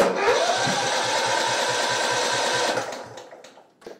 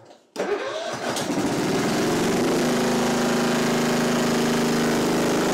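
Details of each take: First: Simplicity Regent mower, 14hp Kohler Command engine, spark confirmed, no choke, full throttle: fires and chugs roughly four times a second under three seconds then dies, sputtering; probably flooded with fuel, carb needs cleaning; flooded carburetor. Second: Simplicity Regent mower with a 14hp Kohler Command engine, carb and fuel line initially empty: catches after a brief crank, then settles into a steady, even run with a constant hum and no misses. Engine sounds healthy.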